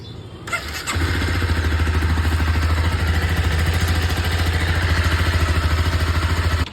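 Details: Honda CBR250R single-cylinder motorcycle after repair: bend pipe removed and stock muffler rejoined properly to fix an odd exhaust noise; engine catches and settles into an even, steady putter with no rattles or exhaust-leak puffing. Normal idle.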